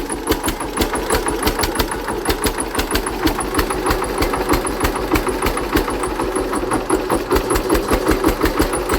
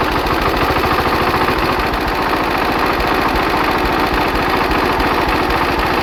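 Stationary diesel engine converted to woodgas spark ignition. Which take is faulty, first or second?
first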